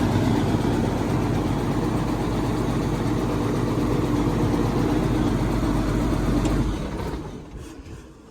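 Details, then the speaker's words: Caterpillar 320C excavator diesel idling after oil cooler reseal and fuel injection pump refit, fuel lines primed; steady, even clatter with no misses or hunting for about seven seconds, then shut off; normal idle. "Let's see. How about now? Oh yeah. She's purring."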